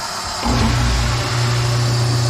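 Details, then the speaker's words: New garbage disposal with water running, rewired switch: motor switches on and settles into a steady low hum with no crackle, grinding or stutter; runs normally, no leaks. "okay so we're running the water on the new garbage disposal and as you can see we're running real good no leaks"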